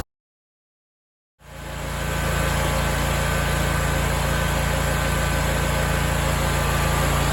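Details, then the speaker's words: BigDog Stout lawnmower at low idle without load, after new welch plugs fixed two years of surging: engine catches and settles into an even, steady idle with no rise and fall in speed; normal idle. "well there you go guys we got it fixed that's awesome I'm so excited that this is over with this has bothered me forever"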